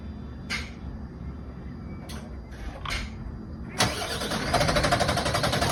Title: Bin lorry won't start up